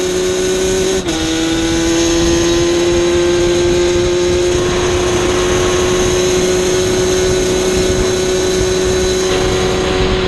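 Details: Yamaha Banshee two-stroke, warmed up on a hot day, held at steady midrange throttle for a plug chop: a rough, nasty flutter that won't clean up without more throttle; the needle setting is suspected of running rich.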